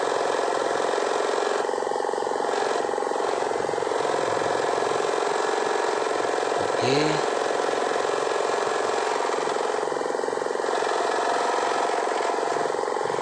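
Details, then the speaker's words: 2500 generator (genset) after repair of an oil leak, with the magneto/flywheel side opened to reach the suspected oil seal: even, steady idle with a smooth low beat of about 220 per minute, no knocking or hunting; engine runs cleanly. "ini mesin sudah bagus warnanya sudah halus tidak ada masalah tadi masalahnya cuma ada isi aja"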